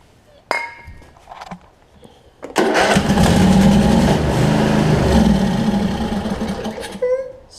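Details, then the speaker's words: Craftsman DLT 46" riding mower, 25hp Briggs and Stratton V-twin with messed-up wiring: catches on sprayed starting fluid, runs rough about four seconds, then dies; runs on starting fluid only, fuel supply problem suspected, not confirmed. "but let me spray a little bit starting fluid in here I show you that it runs on starting fluid and starting fluid only"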